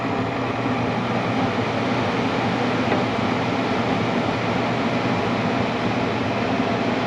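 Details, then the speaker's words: Furnace that was shutting down after 15–20 minutes, restarted and making heat: once warm, the blower comes on with a steady even rush of air and a smooth motor hum, no rattles; normal blower operation. "Once that warms up a little, then the blower will turn on and deliver heat into the house. There it goes."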